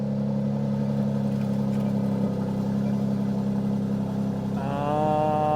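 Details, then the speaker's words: Salvage-auction Mercedes C43 AMG, apparently off-road damaged, just started: low drone at idle with irregular stumbling beat, then a brief rev near the end; running rough, cause unknown. "yeah, it's not happy. It's not happy at all."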